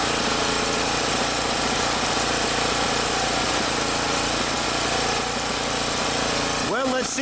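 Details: Champion generator, after no-start, with carburetor fuel metering part refitted: steady, even single-cylinder drone under load, no hunting or surging; owner suspects fuel distribution issue or bad fuel.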